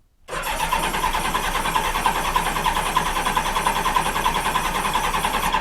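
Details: 1986 Honda Goldwing GL1200: starter cranks steadily at roughly three pulses a second but never fires.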